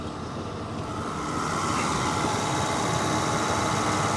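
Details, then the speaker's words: 1988 Cadillac Brougham, 41k original miles, 5.0 liter 307 V8 with electronically controlled carburetor and a replacement engine: even, soft idle with no knocks, misses or rattles, running super smooth. "super smooth running engine 5 liter 307 one of my favorites"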